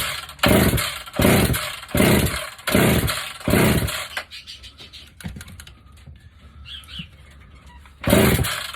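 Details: Dirty vintage chainsaw with a gunk-filled air box, still holding compression, started on compression release: about five quick firing bursts a second apart, a pause, then it catches again. It starts and runs.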